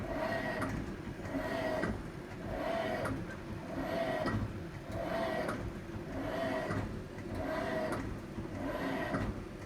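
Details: Hitachi BW-D7MV washing machine, abnormal noise since January 15, recorded February 19: rhythmic swishing rub with a hollow tone about every 1.2 seconds as the tub turns; cause unknown.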